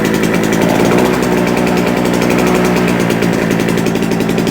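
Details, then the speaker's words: JCB two-stroke generator that had not run for a couple of years: a loud, fast, steady buzz at even speed without surging or misfiring, putting out about 200 volts; runs healthily. "sounds good let's find something to plug in but does it actually work yep"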